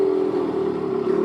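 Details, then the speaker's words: 1984 Yamaha RX50 two-stroke 5-speed, bought not running and just revived, right after its first ride: holds a high, steady buzzing idle that won't drop. Owner suspects an air leak. "Idling fast. Air leak, I think. That's alright."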